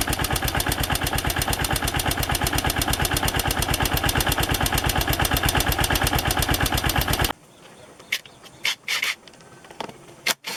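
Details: AKT TTR 200 motorcycle arriving at the shop: single cylinder idles with a fast, even, rattly clatter of about three beats a second; noisy engine needing synchronization and cleaning. Engine noise.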